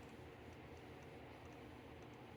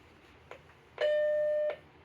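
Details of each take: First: Macintosh Plus at power-on after restoration, RAM test on screen: faint sharp ticks about three a second over steady hiss from the speaker, then it reboots and works; cause not yet found. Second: Macintosh Plus after restoration and RAM test: a couple of faint clicks in the speaker, then one clean steady mid-pitched beep under a second as it reboots and works. Normal startup beep.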